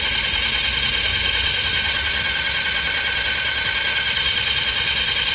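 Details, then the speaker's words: Italika TRN150 scooter delivered with almost no oil: fast, light, even starter whir with no compression pulses while cranking; camshaft and timing chain seen not turning, failed timing chain needing replacement. "Okay yo sinceramente pensaba que era la compresión porque se oye iguali Tito que una moto cuando ya no tiene compresión pero miren vemos que no gira aquí lo que es el árbol de levas ni cadena de distribución"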